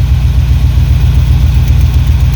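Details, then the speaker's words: 1993 Chevy C1500 with small-block 350 and TH350, freshly installed camshaft, idling several minutes: deep steady idle with a faint quick tick that comes and goes; suspected noisy or failing lifter. "i've been letting it sit here and run for a few minutes and it's starting to quieten down a little bit now so it must have just been a noisy lifter took it a while to get some oil to it well now the noise is coming back as soon as i play that and that goes away"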